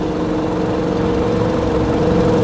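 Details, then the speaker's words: 2001 Toyota Highlander 2.4 L idling with a low hum that slowly shifts as the battery drains. The alternator has failed and isn't charging and voltage is falling; heard before the alternator is replaced. "if we keep watching if we let it idle for a little longer it's gonna die the engine is going to shut down"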